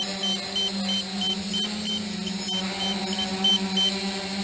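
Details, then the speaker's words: DJI F450 quadcopter (2212/920kv motors, 30A ESCs, Graupner 10x5 props, 5000mAh 3S battery) hovering in GPS hold at 7:15; short high beeps about three a second over the prop hum; first low-voltage radio warning at 10.9 volts. "we're at 7 minutes and 15 seconds and this is my first warning at ten point nine volts so I'm gonna move the camera there very gonna proceed to land on the deck"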